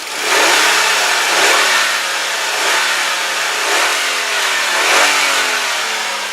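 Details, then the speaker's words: 2001 Hyundai Santa Fe GLS 2WD: five clean throttle blips, pitch rising and falling smoothly, no lifter, valvetrain or high-rev knocks; a rattling elsewhere noted, timing belt and pulley may be needed within 10-12,000 miles. "all right now you do not need to be a mechanic or a genius to know that sounds fantastic there is no uh lifter noise no valve train noise there's no knocks no High Rev knocks nothing"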